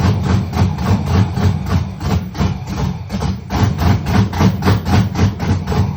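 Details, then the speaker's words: Rebuilt LS engine in a Monte Carlo, first fire-up with MAP sensors not yet hooked up: it chugs with a loud, choppy pulse of three to four beats a second, with fire from the exhaust; rough idle, still needs tuning. "Because when I first cranked it up, you heard how it was slow, like chopping, and then it started like it picked up a lot."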